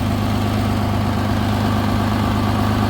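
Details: 2016 Nissan Maxima after DIY welded repair of rusted-out exhaust holes: low, steady idle rumble with smooth even beat, no puffing or ticking from the exhaust; now quiet and healthy.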